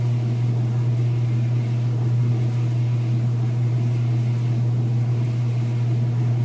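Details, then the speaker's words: Whirlpool top-load washer after inspection, spin cycle near full speed: steady deep hum with even low drone and no knocking or thumping; spinning level and smooth, normal. "And it should be just about full speed there. You can see, nice and level, sounds great. Nice smooth operation."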